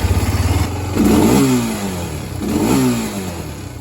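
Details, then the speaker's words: Barn-find three-wheeler on its original carburetor, new carb kit ordered: single-cylinder revs cleanly on two throttle blips and settles back evenly with no stumble or misfire; running well. "as of now it still runs pretty good it runs damn good can't really get much"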